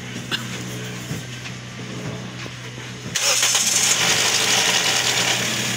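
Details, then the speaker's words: Toyota Vios gen 2, previously very noisy with oil warning light, after cleaning sludge-clogged oil pump strainer; engine starts and settles to steady quiet idle, no knocking or rattle; normal. "A normal o yun ang normal tahimik walang kalansing yan"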